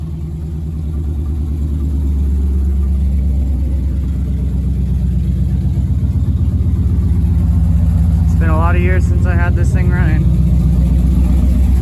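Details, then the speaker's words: Chevy S10 with V8 swap built about 11 years ago, parked in storage after fuel pump died; now runs on old gas with a Silverado pump fitted. Deep V8 rumble at idle, picking up with throttle, firing even and steady; normal running. "got some old gas but it's running"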